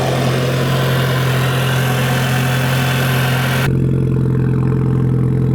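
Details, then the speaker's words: VW GTI cold start after new spark plugs, which were the problem: steady, smooth low idle with no misses or pops; crackling had previously been noticeable when warm. "It is also a cold start if you can't tell. I just I haven't started it yet. Sounds pretty good."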